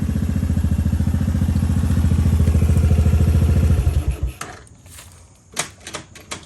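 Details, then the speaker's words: Honda Fourtrax 200 Type 2 ATV after a bushing repair and service: even, steady single-cylinder thumping at idle with no knocks or misses before shutoff. Runs well; owner says it could use slight fine tuning. "Could always use a little bit of fine tuning here and there, I know, but running out pretty good."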